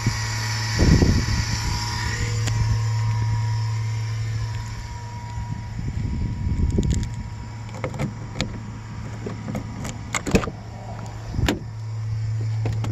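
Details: '08 Chevrolet Express van: steady low buzz throughout under clicks and handling knocks; source unconfirmed, possibly the ABS module.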